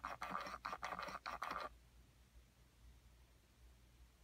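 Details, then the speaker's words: Ford HVAC blend door actuator, recorded inside the dash by the HVAC box: quick whirring bursts about three a second, then quiet, as the actuator hunts on the hot side of its worn track, causing erratic temperature. "So, I'm going to put you up here inside the dash by the HVAC box and the actuator so you can hear it a little bit better. And you can see it hunting back and forth in there."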